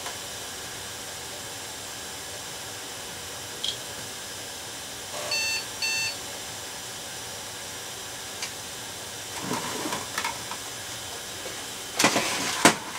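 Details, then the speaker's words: Late-1990s Compaq Deskpro at power-up, CD drive showing a disc error: two short, high POST beeps over quiet room noise, warning that time and date are not set. "CD is blue Happ says disc eror I don't want to put the lid on in case I got to take that drive out again in case that is another dud one time and date not set"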